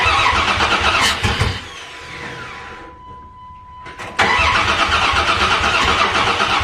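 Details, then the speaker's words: Dakota after tune-up with new plugs, plug wires, distributor cap and rotor, plug wires connected in wrong firing order: starter cranks with a few ragged catches that never take, then stops; crank no start. "well it wants to fire but it's not doing it which is odd but the when it's trying to fire is a little bit strange"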